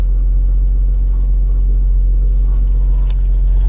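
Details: 2016 Range Rover Sport crank/no-start, compression only on bank 1, timing chain suspected: low, uneven loping rumble at idle, engine limping on one bank and about to stall.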